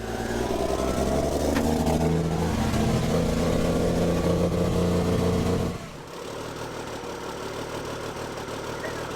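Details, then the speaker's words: Old Cummins L10 diesel semi truck, stored roughly 23–30 years, just fired on ether; roars at steady high speed and won't settle, then cuts out. Running away at high idle; cause not confirmed. "[Music] running she started to run away on me hell yes"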